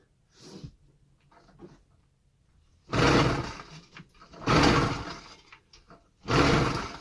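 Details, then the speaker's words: Chinese 80cc two-stroke chopper with a newly fitted pull start, at about 17–20°F, with spark, fuel and no air filter: three hard pull-cord bursts, each dying straight back to silence; it turns over but won't start. The owner suspects the cold. "Oh yeah. Definitely getting gas, definitely getting spark, definitely getting air, because it has no fucking air filter on it. I don't know, man."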